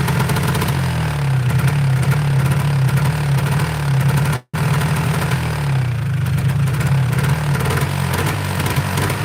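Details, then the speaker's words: Polaris 400L two-stroke ATV on an aftermarket carburetor, with the needle and primary fuel screw already adjusted both ways, revving in neutral: revs rise sluggishly and sag back without climbing cleanly. Bogging and poor throttle response, cause unclear. "Yeah, it sounds like it's got bad response here."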